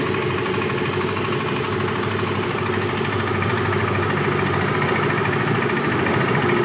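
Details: Yamaha Mio i 125S scooter, engine overhaul: idling with a dull, fairly even knock from the bottom end, about three per second. Crankshaft knocking.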